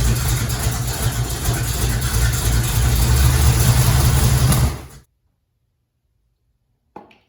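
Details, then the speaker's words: Restored vintage Ford Bronco 302 V8, very first start after motor and transmission install: a little gas, catches straight away and settles into a strong, even lumpy V8 run for five seconds before shutting off; healthy first start. "it's always great when you crank it for the first time and you just saw it very first fire up no editing no nothing a little bit of gas fire right up"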